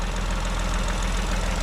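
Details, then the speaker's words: Vauxhall Corsa 1.0 Ecoflex after new valves, head gasket and timing chain: quiet, even, sewing-machine-like idle heard from the rear with no knocks or ticks, slight exhaust blow; normal idle. "That sounds really, really nice. Nice and quiet. I don't know if you can hear how quiet it is, but that is so quiet."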